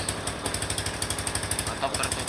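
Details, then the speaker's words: Suzuki Spin 125 idling with the second air (PAIR) valve being checked. Closing the valve gives an even, smooth single-cylinder idle with no hiss, showing the valve still works. "ya suaranya lebih halus. menandakan katuk ini masih berfungsi ya."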